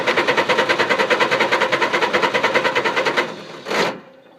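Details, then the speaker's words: Engine that would not start; owner suspected flooding or moisture in the distributor cap and reworked wire contacts: fast even cranking about three seconds, never fires, starter stops; crank no start. "It ain't gonna get moved. What am I doing wrong? What am I doing wrong?"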